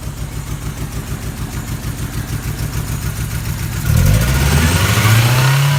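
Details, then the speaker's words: 1994 Toyota Tercel, engine hot, after Seafoam treatment, with major front exhaust leaks. Uneven, lumpy pulsing stays rough as revs climb; cylinder 4 is weak, and an intake or exhaust valve not sealing is suspected. "okay here we are engines still hot cylinder 4 is the main issue so we're gonna test it"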